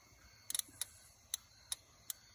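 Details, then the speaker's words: Relay control circuit energised with jumper leads, working with either polarity: crisp single clicks each time the coil is energised, about seven in 2.5 seconds. Normal relay click, so the control circuit works. "so you touch the control circuit hear that click that means the control circuit itself is working"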